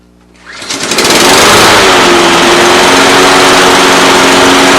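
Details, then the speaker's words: Husqvarna AWD mower with Honda GCV190 engine, previously wouldn't start, after new blade adapter and bolt, pull start; catches and holds even steady buzz, no knocks; normal running. "Okay, there she is. Everything should be good to go."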